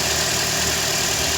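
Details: Toyota Corolla 150 engine at a steady, even idle with a smooth hum and no knocking or rattling; healthy running after replacing a cracked, noisy alternator overrunning clutch pulley.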